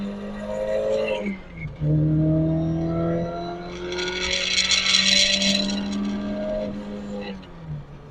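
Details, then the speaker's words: Toyota AE86 with aftermarket short shifter: engine revs through gear change with a fast buzzing shifter rattle at high RPM that stops with a hand on the shifter; fix is reverting to a rebuilt stock shifter. "so you can clearly hear it the rattle it's really annoying I mean it goes away if you put your hand on the shifter"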